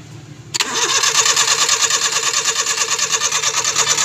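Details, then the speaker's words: Suzuki Scrum F6A 12V with intermittent hard starting; starter whirs in a steady rapid chatter about three pulses a second with no firing, cranks but won't start, traced to a faulty ignition switch. "kaya pala ang sabi nila mga boss na hard starting minsan umandar minsan hindi o may timingtiming ba Problema ni mga boss ignition switch ignition switch"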